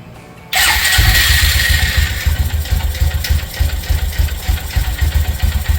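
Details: 2018 Textron (Arctic Cat) Prowler 500 UTV after jumped timing repair and valve lapping, first start with no dash codes: brief crank, catches at once, steady even single-cylinder idle with no knocks or rattles; healthy.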